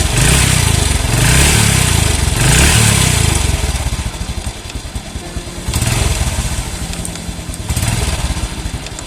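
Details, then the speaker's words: Small single-cylinder motorcycle on fresh Shell Advanced AX7 10W-40 oil, warm, light throttle blips: loose uneven clatter under each rev rise, suspected from clutch housing rubber dampers or clutch play; judged tolerable. "itu bunyi tetap itu bisa juga dari eh karet rumah kopling ya atau khusus koplingnya itu udah ada span jadi ketika dia muter balik lagi dia ada penyedap tak gitu tapi enggak pa-pa selama bunyinya enggak terlalu kasar dan enggak terlalu parah"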